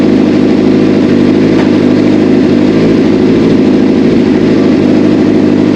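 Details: Honda Shadow motorcycle after replacing a shorted, fried wiring harness and ECU: even, steady idle with a smooth low rumble and no misses, knocks or hunting; running cleanly after the repair.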